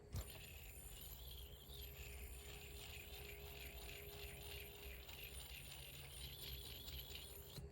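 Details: Fairyworks Tungsten Mave yo-yo with freakish ceramic bearing, spinning: thin high hiss with fast wavering buzz, more when rotated one way; owner suspects the bearing or its groove. Cause suspected, not confirmed.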